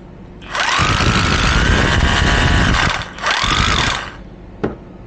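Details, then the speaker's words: Used Makita 18 V cordless rotary hammer after repair (originally lit up but would not run): two bursts of fast, even hammering over a steady motor whine that rises and settles cleanly; brushes still need replacing; tool ready for work, running normally. "Все. Аппарат готов к работе."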